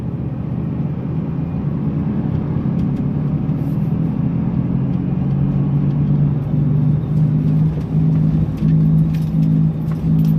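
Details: 2002 Dodge Dakota driving: steady, deep droning rumble in the cab from bad wheel bearings.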